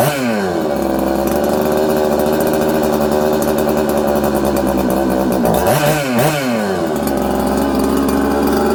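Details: Newly built 266 two-stroke chainsaw won't hold idle: the revs wander, surge and sag and it's hard to tune. An air leak or mixture problem is suspected.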